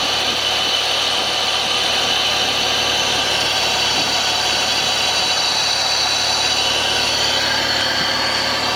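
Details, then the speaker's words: 2005 Honda BF225 outboard on flush muffs (rabbit ears) after replacing both thermostats, starboard one found stuck open: steady, even idle with no knocks or misses under loud hissing water spray; telltale flowing, healthy. "Gonna let it run for a few minutes. You'll see we have some water here coming out of our telltale, so we know we got water going through it."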